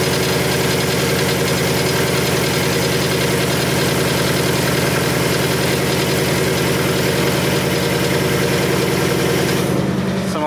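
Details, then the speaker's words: Supercharged 2019 Mustang GT with P0300 random misfire code after a flashing check engine light while racing, just started: loud steady idle with a fast even weird rattle; rattle source unidentified. "so anyways let's go to start the car up and see what what happens here we go see there's a weird rattle coming out of the car too"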